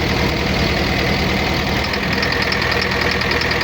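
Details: Volvo road roller diesel at idle with a hard, uneven knock about three per second that stops when cylinder two is cut out. Cylinder two valve clearances were about 3 mm; its injector was found to need repair, and after its repair the knock went away.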